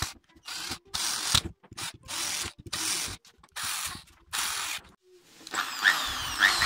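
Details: Electric drill after repair of bearing spinning in housing (aluminium/tin shim ring fitted), burnt cord found: short trigger bursts give clean, even high whir up and down, no rubbing scrape or rattle; stator no longer rubs, normal running.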